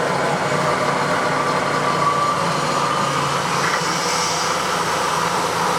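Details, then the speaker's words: Clausing 2276 20-inch drill press, run through a rotary phase converter, high gear at 2,000 spindle RPM: steady, even whirr with no knocks, rattles or grinding; runs smooth and quiet, normal running. "So there's 2,000 RPMs. It actually runs pretty smooth and quiet."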